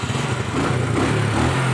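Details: Suzuki Smash single-cylinder motorcycle, after repairing an electric starter that only clicked (starter found worn/damaged); engine ticks over smoothly and evenly with a steady low putter; normal healthy idle.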